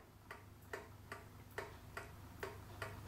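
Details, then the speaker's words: Vintage kitchen pendulum clock after cleaning and oiling, leveled and beat adjusted by bending the pendulum rod: crisp, evenly spaced tick-tock at roughly two ticks a second, running in beat. "I'm level down here don't care about this way and now I have a ticking like it's supposed to sounds like a real clock"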